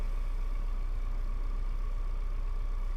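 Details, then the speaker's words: Honda EK Civic hatchback after a tune-up and fresh gas, at idle: low, steady idle with a soft even pulse and no knocks; runs smoother and sounds much better than before but still not perfect. "Car is running. Seems to be running a little bit smoother than before. Man, it sounds a whole lot better than it did before."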